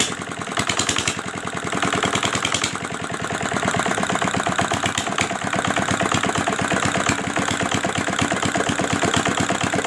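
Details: Old R175 single-cylinder diesel after crankshaft bearing repair and reassembly: even, steady thumping with evenly spaced beats and no knocks or rattles; runs smooth and healthy.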